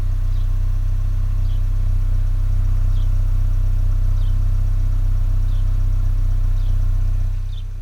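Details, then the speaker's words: 2024 Ford Maverick XL AWD 2.0L EcoBoost idling, microphone about 10 in from the exhaust tip: a low, steady rumble with even pulses and no tick, puff or rattle, very quiet. Normal exhaust at idle. "and I had a coworker tell me that my truck was so quiet she thought that it must be electric and wow it is very quiet back here so I'm going to hold this really close to the exhaust with the truck idling"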